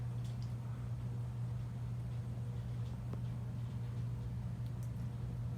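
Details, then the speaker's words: About 100-year-old Westinghouse "Baby Sidewinder" ceiling fan, style 393177, rebuilt with a new bearing, new power wiring and new blades, at slow speed on a KB speed control: low steady hum, no ticking, rubbing or wobble; quiet, normal running. "Very quiet fan, actually, for being 100 years old."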